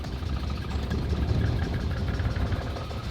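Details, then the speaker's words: Geo Metro small three-cylinder just started, sounding like a go-kart: buzzy, wandering uneven idle that only smooths after occasional blips of throttle; idle not holding steady. Cooling fan not running. "Sometimes you gotta give it a little bit of gas every once in a while so that it'll idle cleanly."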